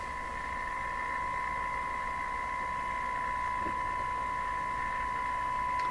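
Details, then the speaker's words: Nordmende Turandot tube radio, being diagnosed for low speaker output, with replacement tubes fitted and tone buttons disconnected, receiving a test signal near 900: a steady high tone with a hard buzzy overtone. The output is distorted with harmonics; cause not traced. "Sounds distorted to me. Like I hear some harmonics in this signal."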